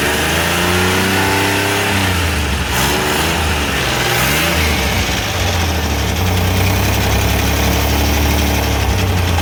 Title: Multicab 12valves hard start